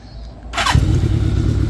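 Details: 1983 Kawasaki GPz550 inline-four, first start after two seasons sitting, new pod filters, carbs not rejetted: quick crank and it catches at once, settling into a steady, even low idle with no knocks or misses; normal start and idle.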